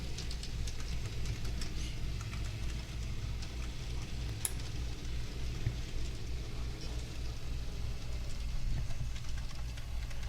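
Steady, even low rumble with light wheel patter and no knocks or squeals; the model train runs smoothly.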